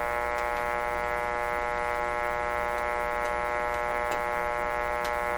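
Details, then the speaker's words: 1925 Magnavox Type D TRF radio after work on the loose detector tube pin contact: steady mains hum with faint clicks and no station heard. The cause turned out to be a disconnected antenna, and the set worked once it was reconnected. "Well, I think it's making contact. Why are we not hearing it? What could have gone wrong?"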